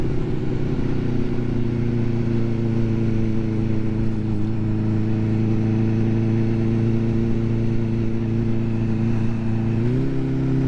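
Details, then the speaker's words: Vehicle on first ride out of the year, after last year's poor running and cutting out; steady strong engine note, pitch stepping up cleanly under throttle with no cutting out or misfire, sounding much better than before; normal running. "does sound sweet sounds a lot better than it did before I don't know whether you'll hear it on the microphone"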